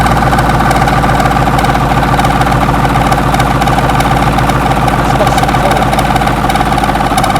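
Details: 6.2 L GMC V8 diesel, first start after sitting 15-20 years, glow plugs heated: steady, even low beat with solid firing throughout; running fine on its own.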